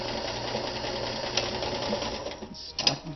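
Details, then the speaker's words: Vintage mid-1970s Kenmore 158.14100 sewing machine with a size 14 needle, run through a full range of speeds: even, quick mechanical whirr with smooth motor hum easing down to a stop; balanced stitch, healthy running. "back here makes a beautiful Stitch perfectly balanced listen to this again got a full range of speeds there Stitch stays consistent at that"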